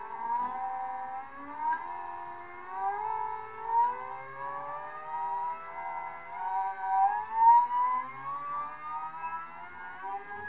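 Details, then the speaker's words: NEMA 34 stepper driven by Arduino with ST-M5045 microstepping driver on 24V supply; whine climbs, clicks, wavers and falls back without holding top speed, suspected acceleration ramp too quick: stepper motor stalling. "you'll hear that clicking I have to think that that means the motor is unable to handle that quick of an [Music] acceleration here it kind of stalls out there"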